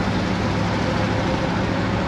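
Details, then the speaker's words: 1966 Ford F100 driving on road: steady road rumble with a faint, even whirring tone on top; rear axle whine suspected, not confirmed. "can hear the rear end whirling"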